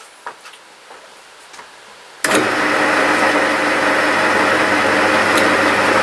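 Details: 1950s Meddings Pacera MB2 bench pillar drill with new replacement motor and new NVR switch, running not on the slowest speed because the belt drops off there: a steady, even hum with a light whine and no knocks or rubbing; normal running.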